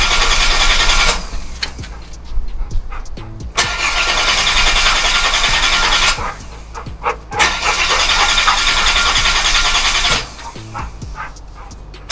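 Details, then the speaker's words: Holden VY Commodore, parked about 7 years, cranking: repeated bursts of even starter cranking around 3.5 turns a second with no firing. The owner suspects low fuel, a blocked pump pickup or a dead fuel pump; unconfirmed. "I might not have enough fuel. Uh could be still blocked. Pump could be not working."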